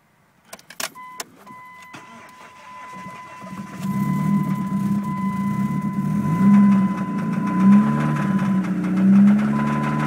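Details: Dodge Neon with rod knock: key clicks and a warning tone, then the engine starts and runs with a rough, uneven knocking rumble.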